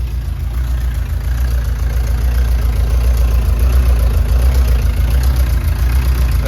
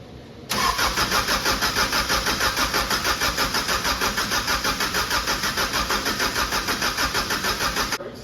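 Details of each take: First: 1999 Subaru Legacy 2.2 engine swapped into a VW bus, started the day after its first run with the fuel pump cycling and no coolant: a deep, smooth, rock-steady idle with an even low rumble and no knocks or misses, a normal idle. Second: Subaru 2.2 engine with 1999 Legacy computer in a VW bus, previously fully disassembled, fuel rails dry: steady starter cranking at about three turns a second for seven seconds that never catches. Crank, no start from no fuel; spark and fuel being checked.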